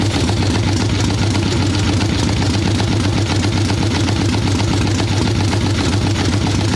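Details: Harley ironhead Sportster XLCH chopper V-twin, Mikuni VM38 carb, idle tuning on fresh plugs, cold wet day: loud, thick loping idle, lazy and smothered rather than crisp, boggy; carb far too rich, owner suspects not purely carb.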